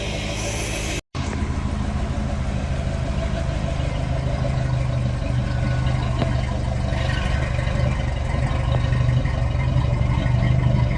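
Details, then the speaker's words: 1970 Dodge D100 V8 after cam swap with DLC lifters, during cam break-in with timing set, idles with steady even rumble and deep exhaust beat, no knocks or ticks; normal idle. "But it is so good to hear this this thing crank up and run good and to hear the exhaust again."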